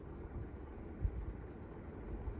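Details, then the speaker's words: Unitedstar 24-inch high-speed industrial ceiling fan on its lowest speed, making a light regular tick about four times a second over a soft hum. Cause unknown; the owner doubts it is the bearings. "It does make a ticking sort of sound though."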